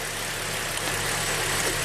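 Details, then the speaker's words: 2008 Suzuki XL7 (GM 3.6L V6), which runs poorly warm with suspected stretched timing chains, at idle with the bank 1 exhaust cam VVT solenoid grounded: a slightly uneven, lumpy idle; it stumbles but keeps running. "Yes, the engine definitely is stumbling and off and runs smoother."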